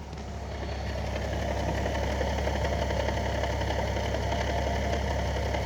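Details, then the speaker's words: 2014 Nissan 370Z, new 6-speed CD09 gearbox, Z1 mid-weight flywheel, JWT clutch, heavy-duty CSC, idling with clutch pedal released: dry rattling chatter, gone with pedal pressed, worse when hot, sometimes diesel-like; gear rattle, owner unsure if normal. "the hotter it is the worse the noise gets sometimes it sounds like a straight-up diesel"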